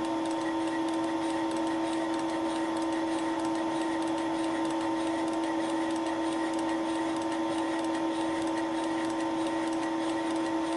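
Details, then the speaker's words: Final facing pass with Wohlhaupter UPA5 head on Thiel Duplex 158 mill, plastic lawn mower bearing housing, radial feed a few tenths of a millimetre per turn; steady cutting tone with faint even clicks per turn from the radial feed mechanism. Normal. "this is the final pass (the clicking noise is caused by the radial feeding mechanism)"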